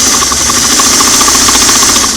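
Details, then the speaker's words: Singer sewing machine on restored clam-shell foot pedal, after another half-turn clockwise of adjusting screw: fast steady whir with rapid even needle ticks, slow works but light press jumps straight to full blast; pedal speed control jumps to full speed. "see I can I can go slow but when I want to go from slow like to medium it just goes full blast a slow slow look at that nice and slow when I barely push on it it just jumps up"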